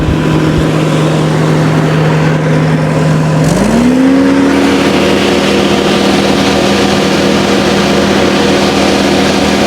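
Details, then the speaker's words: Kubota skid steer diesel at high idle, hydraulic fan motor that rattled badly the day before: steady hum climbing smoothly to a higher even tone and holding, no rattle; normal high idle, cause of earlier rattle unknown. "And it sounds totally normal. So, I don't know what in the world's going on."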